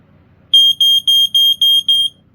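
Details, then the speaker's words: First Response (Dicon) SA5 smoke alarm piezo horn. Six shrill, even beeps near 3 kHz in a quiet room; an ordinary piezo alarm sounding normally. "So yeah, the alarm sounds like your everyday piezo."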